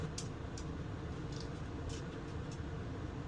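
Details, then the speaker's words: Gree (TOSOT/Eco-Cool) heat pump RV air conditioner, fan on low: soft, steady low whoosh with only faint ticks, about 54-55 dB against a 40 dB background; runs smooth and quiet, normal. "now if I go ahead and turn it on and turn my fan on high goes to about 57 58 now if I turn the fan to"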